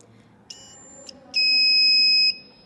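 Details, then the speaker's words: Breadboard metal detector with copper coil and buzzer, battery-powered: two short high chirps then a steady shrill beep of about a second as metal nears the coil, induction triggering the buzzer to alert presence of metal. "electromagnetic induction takes place, and because of this induction using copper coil, our buzzer connected to the copper coil is turned on and it functions and it starts making this sound, alerting us of the presence of metal."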